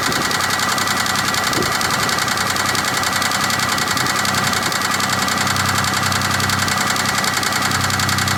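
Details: Rapid, steady tapping knock at idle, about three and a half per second, over the engine hum on a 2003 Chevy Impala 3400 V6; owner suspects pushrod knock, source unconfirmed.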